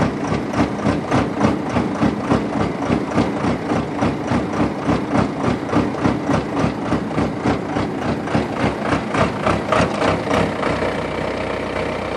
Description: Rough idle 36x50 Vermeer directional drill. John Deere cold start.